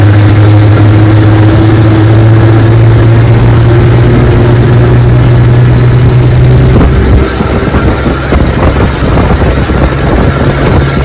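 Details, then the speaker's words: 1961 18 hp Evinrude outboard, restored, cold morning, 14 ft boat near 21 mph: drones steady while pitch creeps up, then drops; revs climb without drive as the prop hub slips at high throttle. "know what I noticed it feels like the prop is slipping on it got up to high gear right there and it spun out a little bit"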